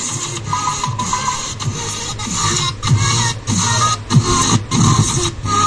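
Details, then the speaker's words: Amplifier built on a 4440 IC: music cuts out in short gaps about every second, then comes straight back. Intermittent audio dropout before repair; cause not yet determined. "तो friend कुछ इसी तरीके से हमारा जो है amplifier का आवाज़ जो है रुक रुक के ए रही है"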